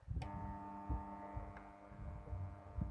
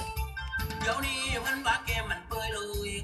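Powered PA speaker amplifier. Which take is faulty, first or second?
first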